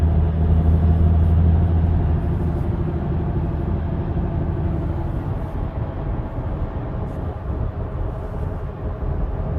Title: Bad wheel bearing noise *AUDI*